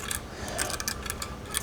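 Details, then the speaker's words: Removed motor from Pro Team Super Coach Pro 10 (107303) vacuum spun by hand: dry, gritty rasp with scratchy bursts; bearings worn, motor described as completely fried, being replaced. "if we spin it we can hear that this motor is pretty bad I don't know if you can see the bearings the bearings the motor it's completely fried right there"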